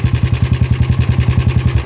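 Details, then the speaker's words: Yamaha Sniper 155 idling, noise came on suddenly: fast, regular ticking clatter over a deep idle throb; mechanic suspects a failed tensioner, not confirmed. "So, check muna natin yung tensioner. Baka bumigay. Kaya naging ganon. Bigla na lang daw umingay."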